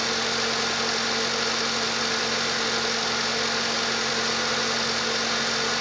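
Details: 1997 Jeep Wrangler TJ 2.5L petrol engine after replacing the leaking exhaust manifold gasket and missing manifold stud and fitting a 4.0L throttle body: steady, even idle with constant hum, no ticking or puffing from the exhaust.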